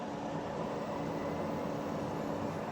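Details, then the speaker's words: Old workshop PC that won't POST: steady, coarse whir with a faint constant hum and loud airflow; owner believes the fans are pretty much shot. "i think the fans are pretty much shot and i can't get it to post or anything that doesn't sound good"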